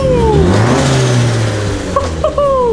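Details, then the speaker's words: Toyota MR2, driven the day after the exhaust leak was sealed with silicone; the engine revs up and drops back with a clean exhaust note and no ticking or puffing from the joints, so the exhaust is now normal. "Now the next day of getting the exhaust all sealed up. Everything's working really well."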